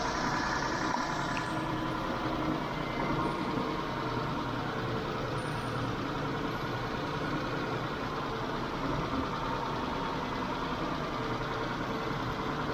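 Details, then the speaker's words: Mitsubishi Montero Sport 6G72 V6 after Liqui Moly lifter additive and 106 km city driving: fast light ticking at idle continuing at higher revs, less pronounced but present; worn hydraulic lifters. "Даже на высоких оборотах слышен стук гидравлических толкателей клапанов. Ну, они не так сильно выражены, но звук всё равно присутствует."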